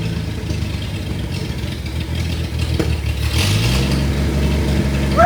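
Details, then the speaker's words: 1962 Studebaker Lark, first start after sitting for years, briefly run with no coolant in it and with the carburetor float now working: even, steady low idle that picks up and smooths after a few seconds, no knocks or misses; normal idle. ">> Huh? >> Is it getting gas? I didn't know if it was >> Oh, yeah. Yeah, it's getting gas. I can't run it too much cuz there's no water in it."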